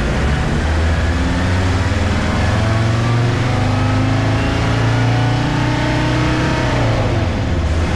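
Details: 1965 Unimog 404 diesel with a newly replaced gearbox, on its first big road test. Deep, even diesel drone rises and falls smoothly with road speed, with no clunks or whine. It drives and shifts well. Normal driving.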